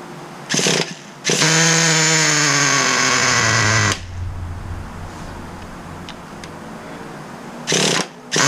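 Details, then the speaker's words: 2006 Traxxas Nitro 4-Tec 3.3 (model 4809), 17-year-old nitro RC car, started after priming: revs high and buzzy, then stumbles and drops off, won't hold idle; low speed needle being adjusted inward to tune. "So you can hear it starts up, but gotta tune this sucker that way it likes to idle. So let's adjust that low speed needle a little bit more."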